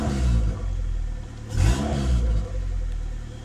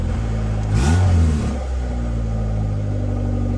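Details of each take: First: Honda engine with a Skunk2 intake manifold and stock throttle body on E85, after fixing a high idle: low idle around 1000 rpm, one quick throttle blip, then a prompt return to steady idle. The owner suspects the IACV was leaking past its gasket. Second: Honda engine on E85 with Skunk2 intake manifold and stock throttle body, revved three times; revs sag back lazily to a 1500 rpm high idle, suspected vacuum leak from a throttle body gasket issue.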